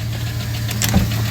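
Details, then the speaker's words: 2009 GMC Sierra 5.3 V8 (AFM/DOD lifters) idling with a deep steady rumble and a light, sharp ticking; a collapsed AFM lifter isn't popping up, all 16 lifters to be replaced with DOD lifters. "hear that ticking sound that's the sound of a clap stop they have collapsible lifters and this one's uh this one's not popping up"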